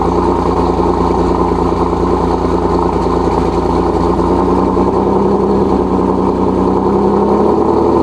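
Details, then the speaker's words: Single-turbo Nissan 370Z Nismo, cold start after sitting three days, checked for exhaust leaks, which make it sound raspy: a loud, steady idle with an even, deep note and no raspy ticking or hissing; the exhaust sounds sealed. Normal cold start. "and it sounds like we're good"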